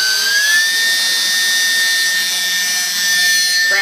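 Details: E-flite UMX P-51D BL brushless motor after a 3S battery power mod, bench throttle test, plane pulling hard enough to try to fly off; high whine stepping up then holding strong and even with prop roar, a normal run-up.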